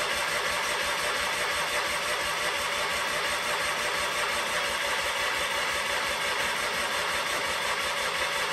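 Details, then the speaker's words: Sears Craftsman FF24 engine, removed from the machine, cranking during start attempts with fuel reaching the carburetor: steady, even churn about three beats a second that never fires; no spark, probably from the points. "and then I started realizing that maybe we're not getting spark so that's when I will continue with you now"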